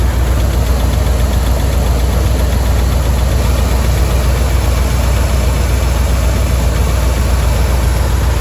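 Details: Dodge 5.9L V8 after a timing cover gasket job: loud idle with a fairly regular light tick, about two per second, over the rumble. Owner suspects a lifter tick or timing chain slap; cause unknown.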